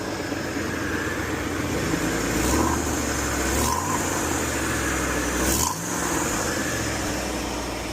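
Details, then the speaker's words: 1996 Mustang GT with 4.6 4-valve Cobra engine swap, hydraulic timing chain tensioners; V8 idling with rough, uneven puffing and ticking over the burble, louder on one side; exhaust leak. "Yeah, it's got a heck of an exhaust leak over here."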